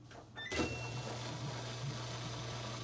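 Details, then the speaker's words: Samsung washing machine drain pump after replacement, quick wash cycle started, water being pumped out; steady low hum that starts abruptly with no rattles or grinding; normal drain pump operation. "can savor here the waters now been sucked out so we now know that works"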